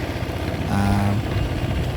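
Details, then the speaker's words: Honda ADV 160 scooter that would not start, now firing and settling into a steady even idle with a brief rev, no misses; caused by dirty contact points of the starter and brake switches. "Ayan start na yung motor. Break switch. Goods na ito."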